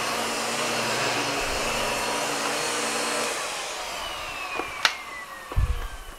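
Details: Miele U1 S7 (S7000) upright vacuum after completed service: steady even motor roar with an airy hiss, then winds down with a falling tone and a couple of clicks; healthy.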